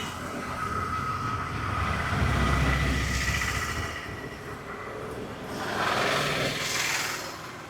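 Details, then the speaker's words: Royal Enfield Himalayan fuel pump, stuck after the bike sat six months, freed by tapping and run off the bike: even electric hum with a thin steady whine, swelling slightly; pump now working properly. "ഇത് നല്ല വർക്കിം ഉണ്ട് കേട്ടോ"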